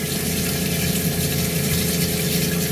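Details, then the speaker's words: LPG Cointra CPA11 boiler just fired on a 1980s 36ft Springer narrowboat, new stronger water pump, hot tap running at the sink: steady low pump hum with even tone and rushing water; normal pump and boiler operation. "i'll turn the cold off i can hear the boilers just fired up"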